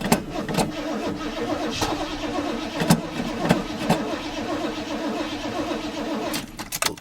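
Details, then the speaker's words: 1984 GMC truck, old start: starter grinds over evenly with a few faint puffs but doesn't catch; a weakening battery is suspected. "sounds like my battery's getting weak but I heard a little life out of it"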